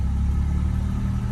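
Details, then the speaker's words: 1980 Chevrolet Malibu, carbureted, pulling away from a stop: even low rumble with no stumble or cut-out. Previously it stalled whenever the gas was pressed from a stop, suspected carb-related. Now it accelerates cleanly, normal acceleration. "All right, that was a hard, I don't want to say hard accelerate, but that was a little bit compared to what it used to be. Like, I couldn't hit the gas before without it cutting off, because like I said, that flat will close."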